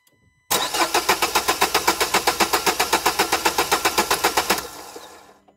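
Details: 2011 Renault Kangoo 1.5 dCi 86 hp, under 100,000 km, Delphi injection pump: cranks with even beats near four per second for about four seconds, catches briefly and dies; owner suspects metal filings in the Delphi pump, not confirmed.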